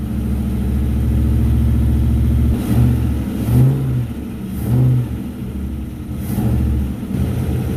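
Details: Newly built 4x4 V8 wasteland vehicle, first start after rewiring, new starter and transmission oil, no coolant yet: deep lumpy V8 idle rising smoothly on throttle blips and settling evenly, no knocks or misses; running normally.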